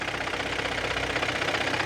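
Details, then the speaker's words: Hyundai ix35 at warm idle: rapid even light knocking from the gearbox area; mechanic suspects the clutch disc, cause unconfirmed. "заехал hyundai ix 35 с характерным шумом коробки в области коробки"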